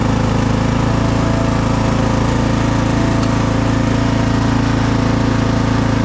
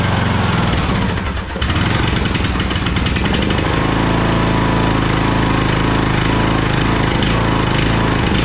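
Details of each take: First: Craftsman DLT3000 lawn tractor engine, driven out of the shed: even, steady low chug at about three and a half beats a second with no knocks or misses; runs smoothly. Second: Craftsman DLT3000 lawn tractor engine, jump-started, oil level full: loud, uneven chugging with lumpy, irregular firing about four beats a second. It is running rough and backfiring through the carb, among its carburettor problems.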